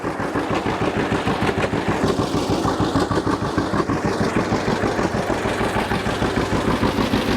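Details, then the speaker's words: 1950 John Deere GW two-cylinder tractor with live hydraulics, Char-Lynn power steering and a Baker valve, in neutral after starting: a slow, even popping beat about three per second with no knocks or misses; healthy normal idle. "this is good running old g let's check it out a little bit just listen to it and i'll show you around"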